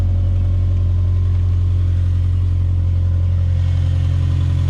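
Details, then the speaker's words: 2008 Subaru Impreza at about 346,000 miles, check engine light on for an O2 sensor, idling: smooth, even low idle with steady firing, no knocks, ticks or hunting; healthy high-mileage idle. "As you can hear, there's no ticks. Still sounding great at 350,000 miles."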